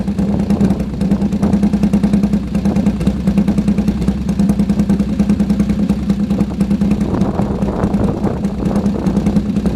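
Even, steady idle with a quick regular beat around 200 per minute and no knocks or rattles; a healthy idle.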